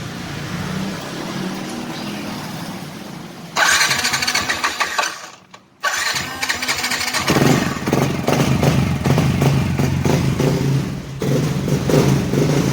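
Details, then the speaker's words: Yamaha Nmax scooter that had no response on the starter, after replacing the faulty starter motor: starter whirs, the engine catches after a short gap and settles into a steady, even idle; starts normally. "นี้ก็คือติดแล้วนะครับก็ติดแล้วนะครับก็ก็ส่งงานได้นะครับ"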